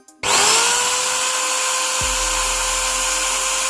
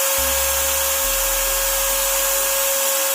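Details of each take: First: Angle grinder: spins up to a high steady whine, then a low rough rubbing rattle joins underneath as the armature hits the field coil. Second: Angle grinder after fixing armature banging inside the field coil by shimming the worn bearing cap with winding insulation paper: steady high whine over an even hiss, no banging or rattle, normal smooth running.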